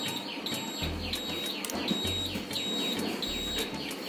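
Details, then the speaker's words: Uno Minda electronic flasher with buzzer fitted to an old-model Royal Enfield Bullet 350 with new-Bullet wiring: quick, high, clean beeps repeating a few times a second, muffled by its box; turn-signal buzzer working normally. "Guys आप देख रहे हो कि यहां से अच्छी सी beep की आवाज आ रही है।"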